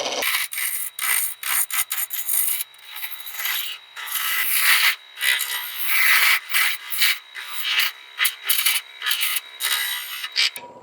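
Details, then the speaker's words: Shopsmith Mark 7 lathe rounding an ash blank for a bud vase: gouge scrapes in hissy, uneven bursts, bouncing and rattling on remaining flats of the not-yet-round blank. "Still have some flats left on that. It sounds like you just one or two little flats right here. If I put my tool down on a smooth um surface, it doesn't bounce. If they're flats there, you can hear them hear them bouncing and rattling."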